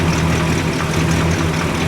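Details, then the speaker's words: 1965 Cadillac idling after replacement of the mechanical fuel pump (two bolts and a gasket at the front of the engine): deep, smooth, even idle with steady low rumble, no misses, ticks or knocks; normal idle. "Super easy to get to, and as you can hear in the background, she sounds pretty damn happy."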